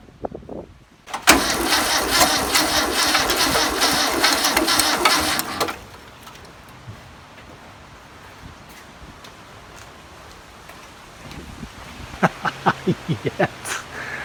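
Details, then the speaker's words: 1962 VW Type 2 bus/Kombi flat-four, sat over 40 years, cranked on the starter with no distributor part fitted and presumably no fuel: quick, even starter churn for about four seconds, no firing; engine turns over freely, not seized. "wow I can't believe it I can't believe it's turning over that's awesome"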